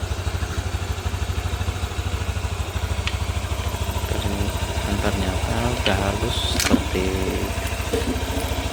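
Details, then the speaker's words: 2022 Honda Beat FI scooter after engine teardown and rebuild; the rough rumble came from worn bearings in a sludged engine. Now an even, quick idle putter with no rumble or knocking, smooth as original. Normal idle. "bawaan aslinya kita engak ada suara yang ngok-orok seperti semula"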